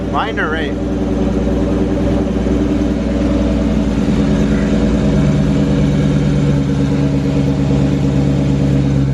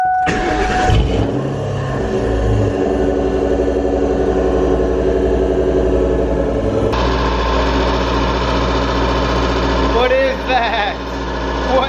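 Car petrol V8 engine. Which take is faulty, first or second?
second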